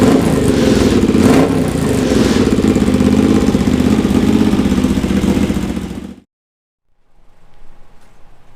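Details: Honda GL650 at its first start after a full rewire: steady, even V-twin idle with a deep exhaust note and no knocks or misses before shutting off. Stock headers with a crossover run into a merge and Cone Engineering muffler. Normal idle.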